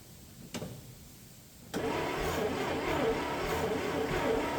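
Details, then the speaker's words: 1965 International Scout, off the road since 1979; sticky key, positive battery cable getting warm. After a click the starter turns the engine sluggishly and laboriously; weak electrical feed suspected. Slow cranking. "key is a little sticky that's a morgage in there it's a little slow"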